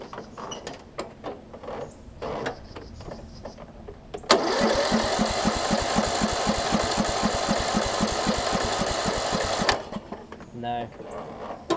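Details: Troy-Bilt Pony riding mower with no spark; ignition coil (Briggs 595304) replaced and re-gapped to about a business-card width. The starter turns it over steadily about four strokes a second for five seconds but it never fires; still a no-spark no-start. Owner fears flywheel magnets.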